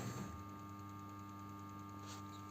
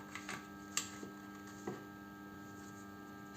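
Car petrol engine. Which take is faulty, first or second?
second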